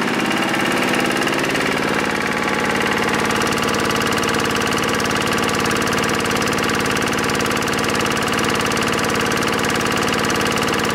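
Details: Lister diesel air compressor after maintenance and drain-plug repair, pressure set at 60 psi: steady, even thump around three beats per second with the compressor chugging smoothly. Running normally.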